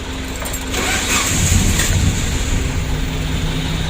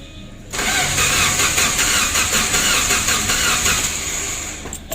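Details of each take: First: Suzuki Carry 1.5 injection after the battery was refitted, with check-engine light now on and in-tank fuel pump humming: cranking catches quickly into a steady idle; engine starts. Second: Suzuki Carry 1.5 injection with burnt wiring: starter cranks evenly for about four seconds but never catches; check-engine light off, relay clicks, in-tank fuel pump silent, so the ECU is not working.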